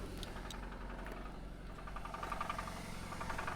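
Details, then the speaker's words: Supercharged Jaguar XF at an auction yard, not started in a while, idling. A dull knock about 3–4 times a second under the low idle hum; engine knock, possibly a rod problem, judged a deal breaker. "I'll open the trunk and that knock holy crap dead got it"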